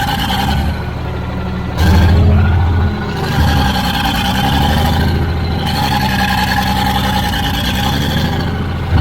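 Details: Old Caterpillar D6 dozer diesel at about half throttle: big steady pull, even deep beat rising and settling cleanly with revs, no misses or knocks; runs pretty good, normal running.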